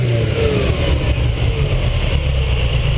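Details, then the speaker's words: Ferrari 308 GTS after carb sync, 50 jets with 135 mains (earlier stumble at 3500 fixed with 60s): deep, strong exhaust note rising cleanly with no popping, stumbling or hesitation. "And as you can hear, there's no farting or stumbling, but uh I'll take it for a drive."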